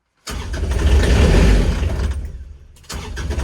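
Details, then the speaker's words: Kubota RTV900 diesel at -8°F with leftover summer fuel gelled in the lines: the starter grinds, pauses and cranks again with the glow plug held on, but it never fires. Cranks but won't start due to gelled fuel. "so i'm keeping the glow plug on let's see if i can get this forced through if i can get it forced through it'll it'll take off on its own"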